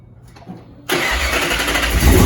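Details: 2007 Mustang GT Coyote V8 swap, first start with new exhaust, tune loaded, no control pack: fires at once into a deep, even idle with slight rise. Normal start.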